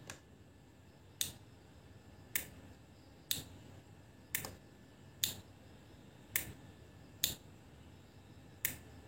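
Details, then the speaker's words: Automotive relay bench-tested from a power supply switching a lamp: sharp, crisp clicks about once a second, nine in all, in a quiet room. The relay contacts are switching cleanly and working normally. "dan teman-teman dengerin ya ini ada bunyi bunyi dari relay kontak relay jadi teman-teman bisa Dengerin nih"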